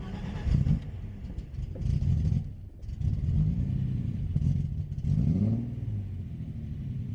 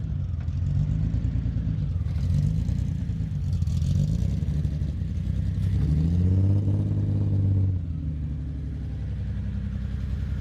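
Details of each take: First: BMW E30 project car, test drive after drivetrain, polyurethane transmission mount, driveshaft and wiring reinstalled, no hood: loud raw deep blatting surging with each rev, exhaust not fully fitted, big exhaust leak. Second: BMW E30 six-cylinder first running after a year sitting and drivetrain and wiring reassembly, battery jumped, injectors suspected: picks up smoothly through revs, returns to even idle with no ticking or knock.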